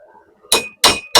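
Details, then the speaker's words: Three sharp hammer blows about a third of a second apart, each with a clean high anvil ring: the heated part now sits flat and no longer jumps, the ping showing it's done. "Not jumping around. The anvil's making that noise. That's how you know. That is how you know."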